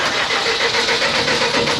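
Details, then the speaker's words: CAT (Perkins) C4.4 diesel cranks steadily for two seconds but won't start; injectors bypassed about 90 ml per 30 seconds versus 25 ml maximum spec, so injectors need to be replaced. "all right just to give you guys a quick snippet of what it's doing it's it will crank it just will not start"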